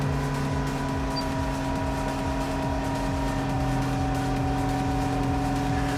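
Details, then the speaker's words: 2000–2005 Toyota Celica GT-S on cold start, window down, with newly installed Injen IS2045P short ram intake and TRD exhaust: steady whirring alternator whine over a fast, even idle pulse, unchanged with the exhaust. "What I hear the most is the alternator on my car, that whirring noise."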